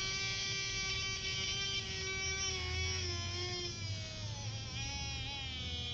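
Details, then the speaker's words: Small DC motor at about 8.9 volts, slowed by a finger on the shaft: whine drops clearly in pitch; less back voltage lets more current flow, so the voltmeter shows voltage dropping. "okay if you see there the voltage drop down because the the shafts stop turning as fast less back voltage"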